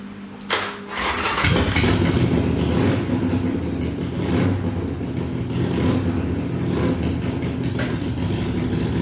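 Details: Harley-Davidson Iron 883 after an oil change and Sejati Booster setting, around the owner's test ride; owner says the popping off-throttle is gone: cranks, catches quickly and settles to a steady, lumpy V-twin idle with no popping or backfire.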